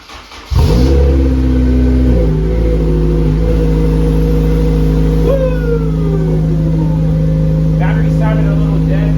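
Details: Honda S2000 being diagnosed for a no-start, tried after power and fuel were restored: it fires at once, revs briefly, then settles into a smooth, even idle with no stumble or misfire, so it is starting properly.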